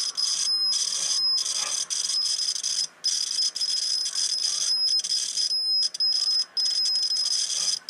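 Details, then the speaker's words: Homebuilt T-match antenna tuner roller inductor, continuity meter as the roller moves along the coil: high buzz cutting out in short gaps and sounding scratchy, coil and roller rod dirty all the way along and needing cleaning. "the coil definitely need to be cleaned there's no doubt about that and oil on that roller the rod at the roller depress huh fairly dirty all the way along"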